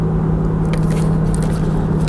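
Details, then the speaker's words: Land Rover Freelander 2, running front-wheel drive only with propshaft not fitted, while driving: steady low hum at one pitch under road rumble, no knocking, from the rear; owner suspects the differential, possibly tyres. "well that noise is coming from the back"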